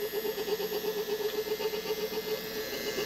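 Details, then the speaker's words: Small three-phase electric motor run from a car battery through an inverter at 15 Hz, drawing about 0.6 A: low-speed hum with a faint rough, pulsing bearing noise over a thin inverter whine and fan; noisy bearing suspected. "now we are running at 15 hertz that's kind of a noisy bearing but"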